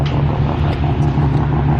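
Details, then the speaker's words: Mazda RX7 with freshly rebuilt bridgeport 13B rotary by Rotary Motorsport: deep, choppy, lumpy brap pulsing steadily at idle, felt in the chest, car shaking, no knocks or rattles; normal rotary idle. "Check this out, yo! It's so damn cool! So angry now. I can feel that in my chest."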